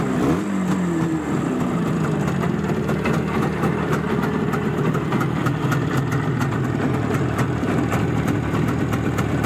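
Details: Izh Jupiter-5 two-stroke with balanced crankshaft, heard now after earlier metallic ringing blamed on piston geometry; steady, even burble with quick regular firing pulses and no metallic ringing; normal idle.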